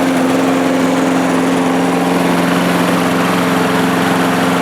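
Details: 1998 Murray push mower with a primer carb, started after priming and reconnecting the plug: steady, even drone at constant speed with no knocking or surging, running normally. Blade vibration was a possible remaining concern.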